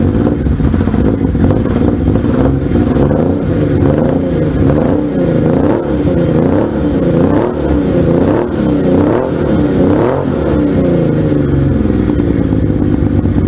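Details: 1978 Yamaha XS750 Special triple, first run after a three-week revival, kick-started on choke: fires cleanly and picks up crisply on each throttle blip, settling back evenly; healthy.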